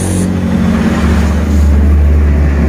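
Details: 2020-2021 Honda Beat CVT with rough srok-srok noise when the rear wheel is turned: with the pulley removed the wheel and final drive spin with a steady even low hum and no grinding; pulley bearing identified as the usual cause.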